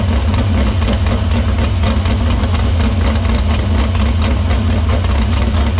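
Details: Dirt Silver Crown race car at a loud, fast-firing idle in the shop after a fuel line fix, filter cleaning and fuel fed through the pump to the barrel valve. An even beat without stumbling or misses. Fuel system checks out: normal running.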